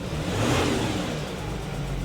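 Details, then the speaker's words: 2014 Audi Q7 3.0L diesel running rough, lumpy, engine shaking, with brief rev: severe misfire, power loss, check engine light; codes P0272 cylinder 4 contribution/balance and P0087 fuel rail pressure too low. "I can feel the engine shake under the hood right now this vehicle has a severe misfire I don't know if you can see the camera shake and the check engine light remains on on the dash"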